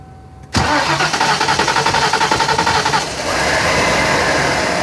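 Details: 1995 Mustang GT that has to be primed several times to start; cranks a couple of seconds before catching and settling to idle: hard start from a weak fuel pump, cured by replacing the pump and strainer.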